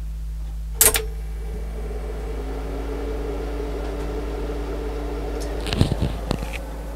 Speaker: okay I don't know if you can hear that but standing next to it it is not quiet it's not offensively loud but it is it is not quiet